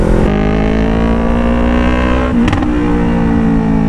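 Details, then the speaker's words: Motorcycle with full-system exhaust after fitting a resonator: strong, even drone rising cleanly with throttle, no pops or bangs. The earlier heavy backfire is gone. "ba may backfire a mga Ms nabawasan na nabawasan nawala talaga mga Ms hindi Basan nawala talaga L laking improvement kapag yung mag system ka tapos naka resonator Sniper 155 m"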